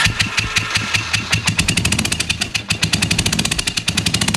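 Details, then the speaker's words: 1985 Honda Shadow V-twin with carburetor problems and weak spark, plugs completely black, spark only at higher rpm: sharp popping exhaust pulses rising with revs but stuttering unevenly, cylinder misfire from fouled spark plugs. "there was spark here seemed like is a hit or miss all right we just took a trip to AutoZone got some new spark plugs for the shadow as you probably saw the sparkk plugs on there they're completely black"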